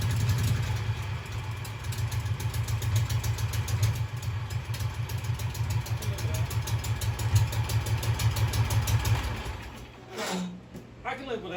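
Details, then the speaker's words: Hydro Husqvarna mud mower with new dual side exhaust made from pressure-washer-cart pipes: steady, even low thump for about ten seconds, no misses or knocks; quieter than before, running healthy. "anyway it's quieter than it was and it won't make so much dust if you go to the river"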